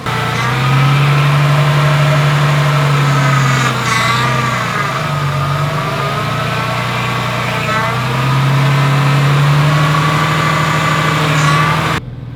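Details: Ford AU Falcon after replacing failed power steering pump and bleeding system while running, turning wheel lock to lock: smooth idle dips slightly under steering load, no pump whine or groan; steering now light, power steering normal.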